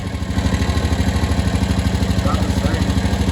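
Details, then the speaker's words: 2015 Honda Rubicon 500 IRS ATV, electric shift, first start after top-end rebuild for smoking: steady single-cylinder idle thumping about 2.5 times a second, a little noisier than before the rebuild; cause unclear. ">> sound a little noisier."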